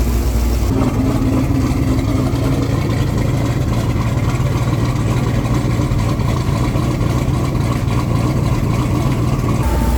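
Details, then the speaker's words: Twin-turbo Corvette Z06 V8 at operating temperature after fixing a melted fan connector and leaks: steady low idle with even rumble under a loud constant cooling-fan rush; engine and fan sound healthy. "Fan is absolutely ripping. We got this thing up to temp. Seems like everything's good."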